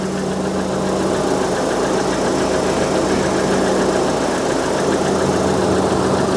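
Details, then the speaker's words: 2000 Rover 75 Club, 1.8 K-series with suspected head gasket trouble, just after a cold start: loud steady whoosh of the fan on high over a smooth idle, though the fan shouldn't run yet. Cooling fan running at cold idle. "this fan business is doing my heading it's running quite High isn't it yeah should the fan be running at all not really"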